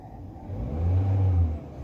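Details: 2024 Nissan Livina, 5,000-plus on the odometer, would not start because its wiring was cut; after the wire was repaired it starts: one clean smooth rev rise and fall with steady low hum, no misses or knocks; normal revving.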